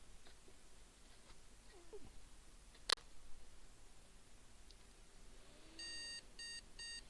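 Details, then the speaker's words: Desktop PC motherboard powered on with no RAM installed and a POST analyzer card fitted: one long beep then two short over faint room hiss; missing-memory beep code, the analyzer shows no POST codes. "yeah one one too short but it's not giving us any post codes yeah one long too short"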